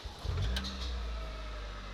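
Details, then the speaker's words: Ford Escort started on a replacement Powerline 063 battery: short crank that catches almost at once and settles into a low, steady idle; starts fine, though the battery went flat again after three days. "well it started the car so i'm gonna leave that connected now see how it goes"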